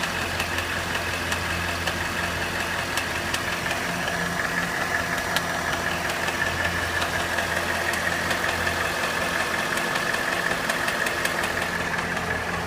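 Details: Cadillac Northstar 4.6 V8 at hot idle: fairly regular light clicking, a couple of clicks a second, over a quiet smooth idle; intermittent clicking noise that occurs only when hot.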